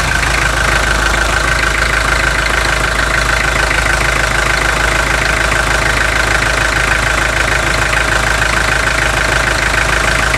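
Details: 2003 Toyota Hilux 3.0 naturally aspirated diesel, 5,000 km after a full overhaul, first start after adding Bardahl Prolonga oil additive, warming up at idle: a dull, fairly even knock about three per second over the diesel clatter; worn engine.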